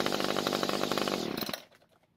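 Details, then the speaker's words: Homelite two-stroke string trimmer that would not start, after freeing its sticky recoil pulley. High, buzzy run with quick, even pulses before dying away. It idled and ran well at wide open throttle, needing no carb adjustment: normal running. "good news is that it started and ran very well. In fact, I'm happy enough with the way the engine idled and ran at wide open throttle that I don't feel the need to adjust the carb."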